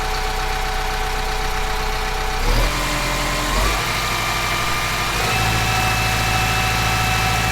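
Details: Kubota M15GX engine after a full engine rebuild, oil pressure warning light checked; clatters evenly, speed stepped up several times and holding steady, no knocking; owner considering checking top-end oiling; normal idle.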